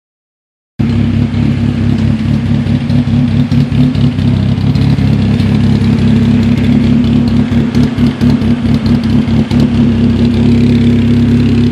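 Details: Cobalt SS at steady low idle with uneven pulsing and occasional stumbles in the firing rhythm; rough idle, cause unknown.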